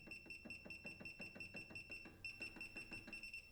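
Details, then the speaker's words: Singer SE9185 sewing and embroidery machine touchscreen: short clear high-pitched beeps, about three a second, one per press while moving the needle position; normal key-press audio alert, which can be turned off. "Então eu vou vir aqui e vou clicar aqui em áudio e vou desligar esse aviso sonoro. Aí eu posso, por exemplo, clicar e a máquina não vai ficar fazendo esse barulhinho, esse pi, que toda hora"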